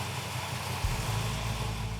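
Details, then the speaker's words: Freshly rebuilt muscle-car V8, first start after fitting new heads, intake and valve covers: short crank, then a deep, lumpy, loping idle from a big thumping cam with good oil pressure and quick throttle response. Normal idle. "the engine runs absolutely fantastic I like the mother thumper because it is a thumping Cam"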